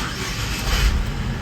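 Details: Saab 9-3 started right after new key programming: the engine catches quickly and settles into a steady, even run with no stumble, grind or misfire; a normal start.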